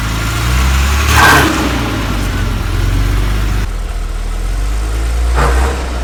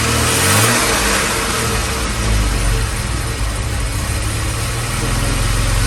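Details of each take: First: 1978 Jaguar XJ6 Series 2 barn find, off the road 24 years, idling with a loud rattle; a low clatter under a rough idle with a couple of blips. Removing the alternator/water pump belt showed the water pump making the noise, so it needs replacing. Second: 1978 Jaguar XJ6 Series 2 barn find, off the road 24 years: the warmed-up engine takes a light throttle blip, then settles to a steady even idle with no rattle from the front.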